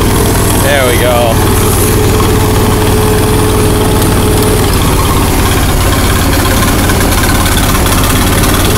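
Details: Allis-Chalmers 170 tractor, sat two years, carburetor rebuilt, new plugs and coil, Camaro exhaust fitted. Steady low idle with uneven lumpy beat, one cylinder dropping out; missing on cylinder 2 or 3. Owner suspects fuel starvation or carburetor freezing up.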